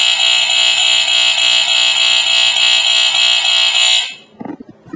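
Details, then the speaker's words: Second Statitrol SmokeGard 907A2 mains-powered smoke alarm, possibly dropped the day before: loud, shrill continuous buzz for about four seconds, healthier than the first but still closer to the 4/6 sound; sounder working. "It has a little more kind of healthier sound than that one did. But it still has more of the 4/6 sound to it."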